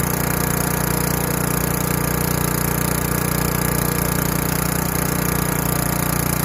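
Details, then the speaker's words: Craftsman Eager 1 4hp chipper vac 987.799790, auction flip, single-cylinder engine sucking up wet, gigantic leaves through a hose of 10 ft or more. Steady, even beat at governed speed, no surging or hunting; working fine. "So it seems to be sucking up, and hey, besides the leaves are kind of wet and they're gigantic leaves, seems to be working just fine."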